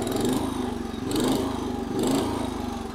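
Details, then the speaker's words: 1963 Bolens Husky 600 lawn tractor, small single-cylinder engine, about 47 years old, running warm before restoration: steady even putter with a gentle once-a-second swell, no misses or knocks; runs sweet, normal running. "so it's a little bit of a play with us getting a bit warm but that's a bit of a fit for all we've got to sounds like a cherry"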